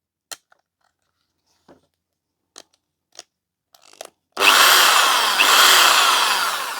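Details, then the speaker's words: Old Ozito variable-speed drill, long unused, grease possibly dry: handling clicks, then a smooth whir climbing and easing with the trigger, no grinding or rattle; normal running. "that's better she sounds good so I'll use that one"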